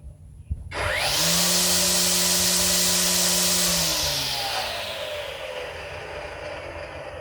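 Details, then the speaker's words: EGO 56V 16-inch cordless weed eater on the high speed setting: a sharp whir climbs to a steady high-speed hum with line swish, then spins down smoothly. Normal running. "Push it in again. This is the high setting."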